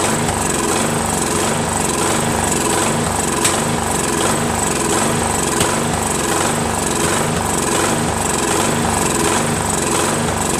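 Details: Craftsman 13.5HP mid-engine riding mower, replacement engine repower, first start after new starter and battery: speed rising and falling about once a second with sharp pops, surging and backfiring; owner suspects sheared key, timing slightly off.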